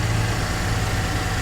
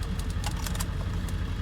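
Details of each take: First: Salvage Kia K900 with GDI V8, flood car sitting since May, jump-started, heard under the hood: quiet, steady idle with smooth low hum, no knocks or ticks, no warning lights; normal idle. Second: Salvage auction Kia K900 with V8 GDI, jump-started, possibly a flood car. Rough uneven idle with clatter and sharp ticks, barely holding on, then stalls and everything shuts off; it will not stay running, cause unknown.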